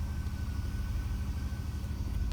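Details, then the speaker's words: 2005 Chevy Avalanche 5.3L V8, 280,000 miles, no-crank fixed by replacing a blown 20A PCM B fuse: the engine starts and idles with a deep, steady rumble and no stumbles or knocking, though reduced engine power and ABS lights show. "Alright, so let's see what happens now. Oh, dang! Truck runs."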